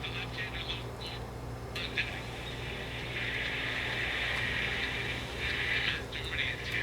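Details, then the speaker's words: Channel Master 8-transistor AM pocket radio, made in Japan by Sanyo, under repair: only a thin, tinny trace of audio under steady hiss and hum. Output very faint; fault not yet located. "I can hear audio very faintly in the background you can hear it"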